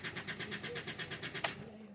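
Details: Isuzu Altera diesel hard starting and stalling: starter cranks at about eight even beats per second, then cuts off with a click and the engine never catches; defective fuel filter and suction control valve stated as the cause.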